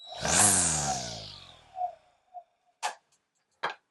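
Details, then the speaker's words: Seyvum 20V cordless 12-inch string trimmer/edger with auto line feed: motor whirs up then spins down, followed by four or five light irregular clicks as the head advances the line; normal auto-feed behaviour. "So you heard those clicks. That's this advancing the line."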